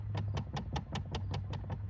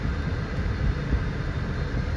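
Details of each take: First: 2013 Dodge Charger, under the dash: sharp, even clicks about five per second repeating steadily; failing blend door actuator, with both driver and passenger sides bad. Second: 2013 Dodge Charger after replacing a dash blend door actuator that had been clicking: a steady low blower and engine rumble while the heat is turned up and down, with no clicking or ticking.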